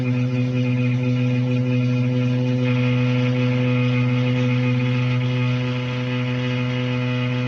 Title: Anyone know why the shower is making that noise????